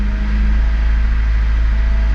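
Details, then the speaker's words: 1996-2000 Honda Civic LX D16Y7 with stored code, warming up: low uneven idle sagging and stumbling, rpm gauge bouncing as it nearly stalls then catches itself, worsening until it dies; caused by dirty idle air control valve. "when the car starts to warm up it'll just start running rough and eventually die as you can hear and see that uh RPM gauge is kind of bouncing back and forth and it's starting starting to stumble it wants to idle down but uh it'll uh catch itself"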